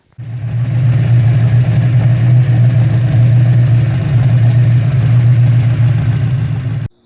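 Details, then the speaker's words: Turbo Mustang V8 after drag-strip knocking and rebuild with new hypereutectic pistons, rings and gaskets, just restarted: deep steady even idle with no knock or tick, sounds good. "yeah we just started it up everything sounds good"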